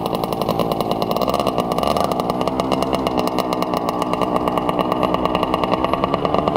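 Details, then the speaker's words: 1967 Yamaha YL1 two-stroke motorcycle, barn find revived after sitting over 40 years, normal idle: crisp even popping at a steady rate with no misses or rattles; fired right up and idles perfectly. "Well, that was awesome. She fired right up and idles perfectly."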